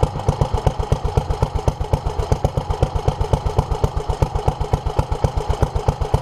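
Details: 1947 Petter A2 single-cylinder engine running after its Zenith 24T2 carburettor was stripped, ultrasonically cleaned and fuel pipes replaced; started easily; even low chuffing about two per second, no misses or knocks; fuel leak remains; healthy slow running.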